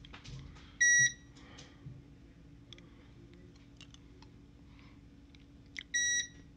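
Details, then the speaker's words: PARA Minuteman Entrust ETR 700 UPS after its battery was replaced with new 12V 9Ah units, unplugged and powering a lamp on battery: loud high-pitched warning beeps about five seconds apart over a faint steady hum. The UPS runs normally on battery. "now I'm gonna unplug it I'm and now it's running on battery power now before it didn't even last a minute I'm not gonna leave this on four hours for you guys to see that it's working but in here the beeping is a lot louder now which that would get annoying"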